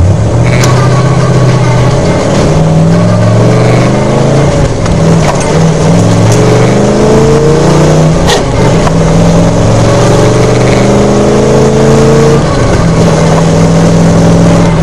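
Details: 1995 S10 with mildly built 283 small-block V8 and NV3500 5-speed, driving: revs climb then sag and surge unevenly under load, stumbling; fuel starvation from completely clogged fuel pump screen filter, fixed by replacing pump.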